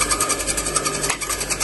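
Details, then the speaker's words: Electric motor that would not start: after spin-direction test, motor kicks in cleanly with quick steady buzzing run, no stalled hum; motor is fine, fault lies in the capacitor. "তার মানে আমাদের মটরটা ঠিক আছে সমস্যা হল কি ক্যাপাসিটরে"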